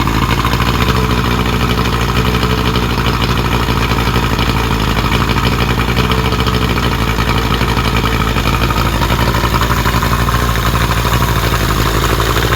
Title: ‘75 Evinrude 70HP muffrun after rebuild